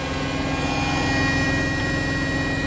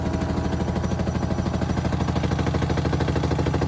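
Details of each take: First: Hotpoint WMXTF942P washing machine after greasing its dry shock absorbers, at full spin speed: steady, even, smooth motor hum with much less vibration and no knocking or thumping, instead of the violent shaking heard before. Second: Hotpoint WMXTF942P washing machine at full spin speed with a full load, covers off: heavy low rumble with a thump about three times a second as it vibrates excessively; the drum has no play and the dampers (shock absorbers) are likely dry.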